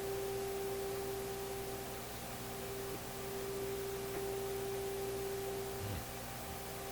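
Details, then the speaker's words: Electrohome Kalmar console stereo receiver during FM alignment: steady test tone over hiss that gets stronger and weaker with the meter jumping; intermittent signal fade, cause unknown, later somewhat more stable. "you can see the meter jumping up and down you can hear the tone getting stronger and weaker that's kind of a sudden effect there"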